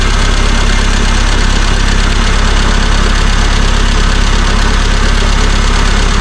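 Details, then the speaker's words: 1975 Chevy Vega started after sitting for years, running on a makeshift external gas tank: a loud, uneven idle with a lumpy knock about twice a second that never settles. Rough idle. "Guess we'll spin it over and see what it does. Guess fingers crossed. Start sound a little rough."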